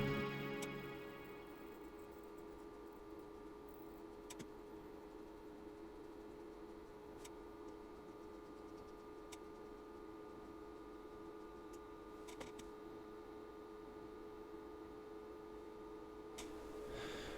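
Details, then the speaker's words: Cheap S-1200-60 mains switching power supply, lightly loaded: quiet, eerie, uneven ticking over a steady hum as erratic switching, mixing frequency and pulse-width modulation, makes short bursts between longer switch cycles. "you can see the short bursts in between the longer switch cycles and you can probably hear this eerie ticking noise as well"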